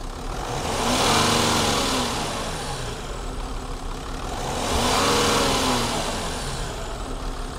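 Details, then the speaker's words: High-mileage Range Rover Sport at auction, revved while listened to from the front after one person called it a bit rattly. Two smooth rev swells with no knock are normal revving and sound all right. "I think it sounds all right to be fair"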